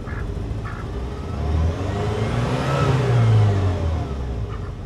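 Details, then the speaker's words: 1988 Saab 900 Turbo that sat for decades, engine warm and starting more easily after rewiring: rises and falls through two revs with a light turbo whistle climbing alongside; normal revving with turbo spool. "well I would say that was an easier start I mean the the engine is warm oh can you hear the turbo now"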